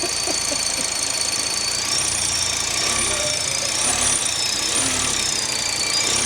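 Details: Mk1 Audi TT RS 2.5-litre five-cylinder, idling with a vacuum nipple blocked off: steady piercing high whistle unchanged, so the blocked leak wasn't the source; vacuum pump suspected, unconfirmed.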